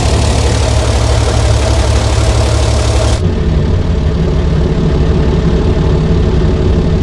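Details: 60-year-old International Harvester 6x6 army tipper, Perkins 6354 diesel, sat about 10 years, running while testing a very heavy clutch to get it moving: rough first few seconds, then a steady, deep idle with no knocks or misses; normal.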